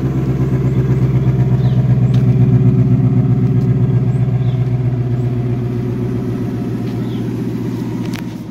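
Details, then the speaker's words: Ford V8 (new motor from Ford) cold start after sitting two weeks, settling into a steady lumpy idle with an even tick about four times a second; owner hears it ticking, possibly piston slap until warm. "there's the tick car hasn't run in two weeks and she's ticking away now look at that"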